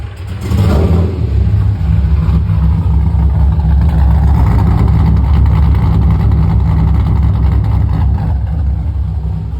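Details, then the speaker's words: Nissan S14 240SX with LS2 V8 swap, T56, mild cam, reportedly 390 wheel horsepower, in neutral: fires, flares on startup, settles into deep slightly lumpy idle; healthy, owner may retune startup enrichment. "Probably use a retune, so I'm going to get in there and mess with it a little bit, mainly just like the startup enrichment, but this thing's pretty solid. Seems like it runs great."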